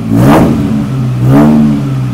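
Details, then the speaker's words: Suzuki Samurai with a newly installed muffler, plugs re-gapped to .032 and a slight vacuum leak from a bolt-plugged hose. Two quick throttle blips with a clean raspy rise and fall and no rattles. Normal exhaust note. "definitely got that uh ricey tone to it so anyway we'll be ready to run with the Miata before long"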